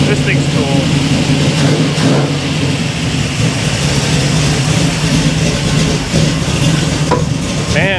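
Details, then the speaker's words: 1967 Camaro V8 idling in neutral just after its first key start following a rewire with a cheap kit: steady, even idle with a low smooth rumble, no misses or knocks, background chatter; idles nicely. "this thing sounds good look at that see if it'll run long enough we'll shut it off with the key and not let it die"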